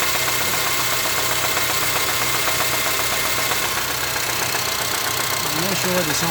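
Steady idle with a sharp, fairly regular tapping about four times a second riding over the engine; a knock whose cause isn't clear.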